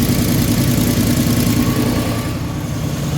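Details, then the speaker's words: 2014 Ford F250 Super Duty at cold start-up idle: a quick regular puffing tick of about three per second that quietens as the manifold warms; a leaking exhaust manifold gasket is suspected, not confirmed. "Alright, let's start it up. Sounds like an exhaust leak coming from somewhere over there."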